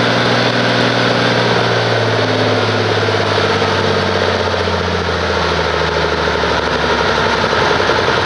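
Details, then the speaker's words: 1850 diesel tractor with new rebuilt injector pump, after cam gear key and loose bolt ate the keyway: loud idle with uneven beat, drone sagging slightly; running rough, owner wonders about valves. "but you can kind of hear it's not exactly right and it's kind of i'm wondering about the valves right now"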